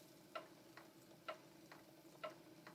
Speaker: Okay, you can hear the click. That's the footman.